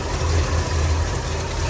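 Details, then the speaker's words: 1960 Ford F100 short bed pickup, 351 Windsor V8, automatic, still cold; steady even low rumble at idle with no knocks or misses, smooth and quiet, would run better warmed up; normal cold idle. "You can hear this engine run. That Windsor just runs super nice and smooth and quiet."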